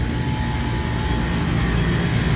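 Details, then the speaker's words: Three-phase compressor on a walk-in beer cooler at 57 degrees, skipped maintenance, drawing 13-14 amps: loud, heavy labouring drone, rough but with compression, possibly tripping thermal overload; consistent with internal piston damage. "let's see if it calms down or if it goes off on thermal overload again definitely sounds rough but we do have compression"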